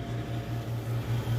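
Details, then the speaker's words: Vintage Coke machine after repair (breaker no longer trips), thermostat set probably about 4: low steady compressor hum with gentle pulse and hiss of refrigerant surging through an apparent capillary tube; the cabinet is getting cold. Normal running. "I can hear refrigerant surging through the system appears to be using a capillary style regulating device"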